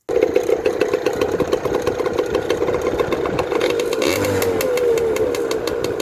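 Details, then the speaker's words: 1993 Yamaha PW80 two-stroke dirt bike after fixing carburetor leaking from overflow line, bowl and float cleaned: catches immediately into crisp even popping, revs climbing smoothly; normal running. "Put it back on the way you took it off, your dirt bike, and start it up, and it should be"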